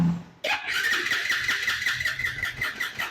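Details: Bajaj Pulsar NS160 FI ABS, 26,868 km, diagnostic tool shows no sensor faults and ignition coil has current; starter whirs with faint uneven pulses but engine never fires; fuel pump or throttle body suspected.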